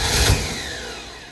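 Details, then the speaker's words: 1968 Camaro, 327 V8 with 4-speed, newly fitted Holley carburettor, mechanical fuel pump, weak battery: brief cough and surge that dies within a second, not catching; fuel starvation, fuel not yet up in the bowls. "Boy, it wants to, doesn't it? [Music] Trying to get that fuel up in the bowls while I still have some battery. And since it's a mechanical pump, it's not going to happen instantly."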